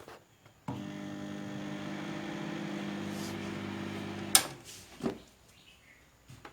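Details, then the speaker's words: Microwave oven with its fan running but no heating. A steady low mains hum with fan noise runs evenly about four seconds, then stops with a click. It runs but does not heat; the fault is not yet located. "Fan එකත් නමුත් heat වෙන්නේ නැහැ. not heat."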